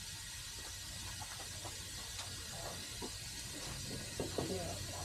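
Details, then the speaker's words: Small-block Chevy in a 1986 Pontiac Trans Am during leak-down test at about 50 psi; faint steady hiss of escaping air from the front of the motor, head gasket suspected but path unconfirmed; air leak. "Hear air running somewhere. It's at the front. at the front here."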